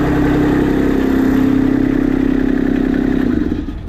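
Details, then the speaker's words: Kubota RTV1100 D1105 diesel after injector work, throttle zip tie cut, running without coolant; steady even clatter about four pulses a second, no misfire or stumble, normal running after the injector repair. "All right, so I think injectors were definitely the thing. I'm real happy with this. It's running just fine."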